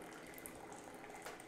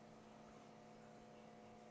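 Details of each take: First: Keurig B70 K-Cup coffee maker after clearing a clog and cleaning the bottom needle, flushing grinds through: steady hiss and gurgle of water running freely with no sputter or stall; normal, unobstructed brew flow. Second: Keurig B70 coffee maker salvaged with cracked reservoir, slow/clogged: steady quiet electric pump drone that never labors, pump runs but only a few drips come out; clog suspected, no water flow.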